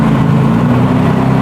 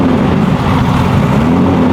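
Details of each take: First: BMW E46 with M52 engine and Precision 6466 turbo, first start after engine build, not run in a long time: steady, even idle with firm low hum, no knocks or misses; normal idle after first start, running cleanly. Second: BMW E46 with M52 engine and Precision 6466 turbo, first start after engine build, not run in a long time. Steady loud roar with an uneven, slightly lumpy note just after firing; rough first-start running, cause unconfirmed; good oil and fuel pressure.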